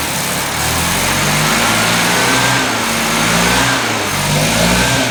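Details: 1979 Datsun 210 engine revving with a rough, uneven pulse and occasional stumbles in the exhaust note. Misfire, cause still being sought.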